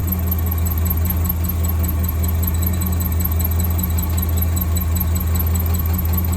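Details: 1963 AMC Rambler wagon 287 V8 idling cold after about 5 minutes, driven ~100 miles with the fault: steady dry squeal pulsing with engine speed from up top; left-bank rocker shaft oil-starved after bolt mix-up during valve stem seal job.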